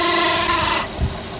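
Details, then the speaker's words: 2009 Infiniti FX35 3.5L V6 at idle, microphone under the hood during P0024 exhaust valve timing diagnosis; a loud steady whir stops abruptly when the electric cooling fans switch off, leaving only the engine: fan noise. "the fans just came on okay so that's the fans making that noise wow those things are loud"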